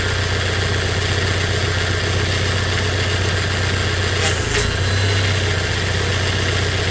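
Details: 3rd gen Toyota Hilux Surf/4Runner after steering rack rebuild: steady, even idle with no pump whine over the engine hum; the earlier whine and hard steering came from the rack guide set one full turn too tight, now corrected.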